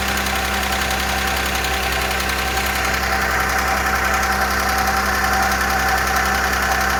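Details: Audi A6, engine restarted after earlier lifter repair and oil/condensate found under valve cover; steady idle with light quick ticking about three per second, hydraulic lifters still pumping up, a whistle also appeared; knock fading gradually, lifters possibly damaged by oil starvation.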